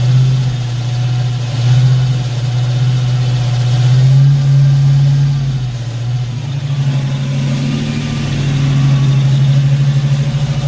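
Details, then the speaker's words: Foxbody Mustang V8 after distributor swap, idling during scanner cylinder balance test: speed sags and recovers several times as each cylinder is cut in turn; all cylinders seem to be firing. "all right so seems like all the cylinders are firing at least"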